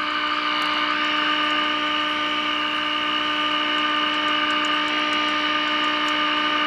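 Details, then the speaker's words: GE radio converted into an AM transmitter: a steady test tone with bright overtones at an even level through the speaker, with the second IF peaked on both adjustments. "I'm going to see if I can go down and get the other one. Sometimes you can do that on these types. Okay, I'm on the other one now."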